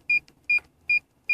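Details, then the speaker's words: Nissan Micra reversing with a newly fitted rear-view camera and audible parking sensor: four short high beeps about 0.4 seconds apart, the normal warning from a working parking sensor. "Park sensörü de bup bup diye böyle ses yapıyor. Şimdi sensörü sesli kullandık."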